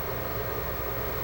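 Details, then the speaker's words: Xbox 360 with fans getting progressively louder after power-on: constant airy rush at high speed, far louder than normal; CPU-controlled fan responding to continuously rising sensor temperatures. Overheating suspected from dirt or dust-filled heatsinks. "now this is pretty loud I mean normally Xboxes don't get this loud"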